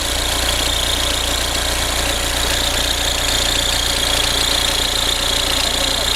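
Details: Audi A4 B6 1.9 TDI idling with a fast even chatter and whirr over diesel clatter; belt tensioner suspected, and a new tensioner was fitted afterward.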